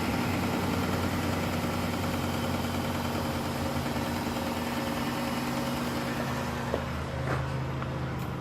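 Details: 2010 Chrysler Town and Country at first start after hydrolock repair (new intake manifold gaskets, plugs and coils reinstalled): a steady, even idle with a smooth low hum and no knocks or misses, smoking as water and oil clear from the cylinders. Normal idle.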